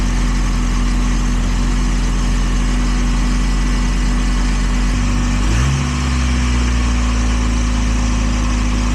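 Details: 1.8 Miata (wrecked car) idles steadily fast well above normal, a brief rev blip midway, then settles back high; owner suspects throttle cable misadjusted from rerouting after trying the throttle-body idle screw; cold day, high 30s °F.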